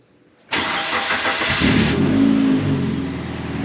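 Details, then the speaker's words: Dodge Neon dirt track racecar, first crank after fuel pump replacement, pump heard priming: starter cranks evenly for a few seconds without catching; fuel reading low though tank appears to have gas, cause unconfirmed. "more engage move any at all for fuel yeah no I don't think it has I thought it did it first okay that could be a small hiccup cuz right now that is reading low"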